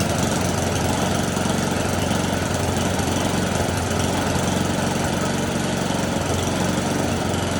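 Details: Snowblower small single-cylinder engine, choke off: holds a steady, even chug without surging or stumbling; normal running.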